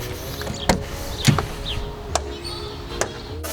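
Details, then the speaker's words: 1995 Opel Omega B 2.0i X20XEV driver's door: four sharp, uneven knocks as the door swings and catches at its stops; worn door check strap bushing clunking, to be replaced. "но это понятное дело втулка за столько лет износилась и нужно поменять и мы сегодня будем этим заниматься устранять вот этот вот звук добиваясь тихого открытия и фиксации двери"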